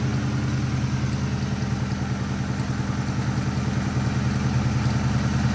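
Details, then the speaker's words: 302 V8 after a hard track day and oil change: uneven lumpy idle with a loping beat about two to three per second and clattery stumbles, running down on cylinders; engine believed hurt, cause undetermined. "Oh, it doesn't sound good."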